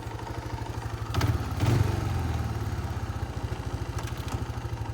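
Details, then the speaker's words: Kawasaki Bayou 220 ATV single-cylinder, idling after clutch repair with a new cover gasket and cleaned oil filter screen. Steady thumping idle with a couple of brief throttle blips, settling back evenly; normal healthy idle. "All right, so now it's fully back together. Fire it up, go for a little quick ride."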